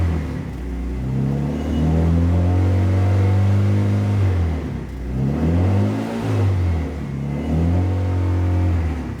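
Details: Fully built Mitsubishi Evo 9 on its first start: engine climbs cleanly to about 2000 rpm and settles back, pitch rising and falling smoothly with no knocks or misses; healthy rev.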